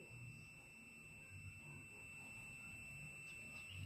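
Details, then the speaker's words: With the probes reversed on a used Honda Vario 125/150 ECU, the multimeter gives one steady high beep that never drops out. The ECU is internally shorted, which blows the 25A fuse, and is judged ruined and unusable. "Nah, jadi bisa disimpulkan ECU ini sudah konslet ya, Teman-teman ya. Jadi, ECU ini sudah rusak, tidak bisa dipakai lagi."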